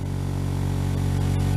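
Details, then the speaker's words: Diamond disc grinder after repair (bolts and screws Loctited), on a table, run from a Variac at about 70 volts: steady low even hum, slight vibration, no rattle or grinding; normal running. "Okay, let's turn it on. It's going to vibrate a little bit across the table."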